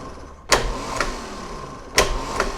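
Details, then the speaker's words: 1990 Jaguar XJS V12 large direct-drive starter, bench-tested off the car from a battery charger during refurbishment: two sharp clunks as the drive throws in and out, steady motor whine between; spins up strongly, drive slightly noisy. "You can hear that it spins up with authority."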